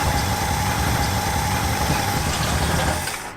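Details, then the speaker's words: 1966 Cadillac DeVille started after about 30 years in storage: deep, uneven, lumpy idle with irregular low thumps about four a second. The engine shakes hard with several cylinders not firing, then dies, apparently out of fuel. "you got to see this motor I've never seen a motor vibrate like this it's got just the right amount of cylinders out wow you can't even focus on it it's vibrating so"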